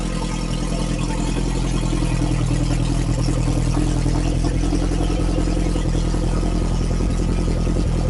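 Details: Freshly built Lotus Esprit engine revving while still cold (only about 30–40°C): deep, even note with steady pulses and no knocks, ticks or stumbles. Sounds healthy.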